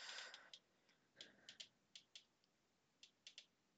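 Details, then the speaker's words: Xbox One S set to 720p over HDMI: sharp, irregular crackly clicks through the speakers, alongside purple streaks and green screen artifacts; the clicking stops when the output drops back to 480p. "If you can hear that clicking, that's coming out through the speakers."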